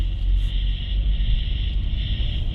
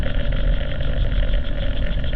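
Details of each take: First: 2016 Nissan Rogue at about 30 mph, microphone at the driver's side front wheel: steady low road rumble with no growl or hum building with speed and only slight brake noise. This wheel bearing sounds normal. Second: 2016 Nissan Rogue driving about 30 mph with chassis microphones: steady deep droning rumble heard on channel 2, slight brake noise on other channels, from a bad wheel bearing.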